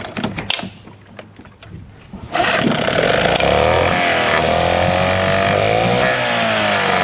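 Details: 1979 Johnson 6hp outboard with low compression, restarted after stalling once in the water: buzzy two-stroke whose revs rise and sag unevenly, hunting; owner suspects fuel starvation. Carburetor bowl was drained by the previous owner, and the fuel jet has a limit stop.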